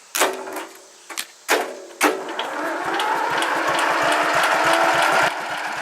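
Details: 1976 McCulloch Mite-E-Lite permanent-magnet generator, electronic ignition, gasoline, oil checked, on choke, first run in about 15 months: a few sharp pull-start tugs, then it catches and settles into a steady, even run; starts and runs fine.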